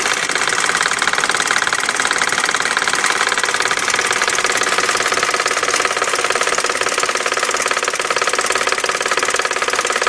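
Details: 1999 BMW 540i 4.4L V8 at idle: fast, steady metallic ticking-knock three or four times a second from the passenger side of the engine; source unknown.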